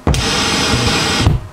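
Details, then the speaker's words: Pioneer SX-6000 receiver with weak left channel in FM mode: loud hiss cuts off abruptly with a dull thump when switching away from FM. "we get that thump."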